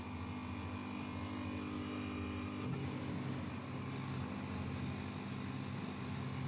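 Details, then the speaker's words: Soybean milk grinder with 200 mm grinding stones, second grinder stage, gap between upper and lower stones set by handle; steady motor drone with a low rubbing tone that shifts as the stones just touch at the set gap. "Still adjust the distance between the upper and lower grinding wheels through the handle first."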